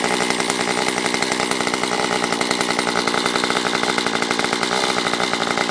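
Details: Stihl MS194T chainsaw after fuel-issue no-start fix, carb richened on low and high within limiters: high steady two-stroke buzz holding revs cleanly, no bogging, surging or stuttering once warmed up; normal running.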